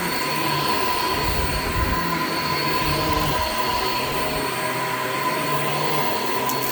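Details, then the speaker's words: Shark Infinity pet vacuum: a thin, steady high squeal rides over the motor and brush-roll hum. The drive belt is very old and worn out, and the brush roll stopped many times. The belt needs replacing. "all right so as you could hear the belt on this is like pretty much shot like it's it's really old clearly needs to be replaced"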